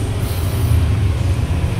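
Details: Honda Click 125 version 1 scooter: deep, uneven, misfiring putter. The fuel pump tested good at 40–43 psi, and a faulty spark plug cap was the cause.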